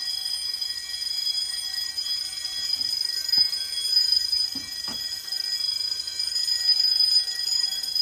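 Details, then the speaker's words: Home-built Fire-Lite MS-9200UD fire alarm system after a bedroom pull station is pulled: continuous high, shrill bell ringing with faint relay clicks from the Simplex SmartSync control module. Fire alarm bells ringing in general alarm. "That's gonna leave ringing in my ears, no pun intended. As you can hear, though, you can hear the relay clicking coming from the Simplex Smart Sync Control Module."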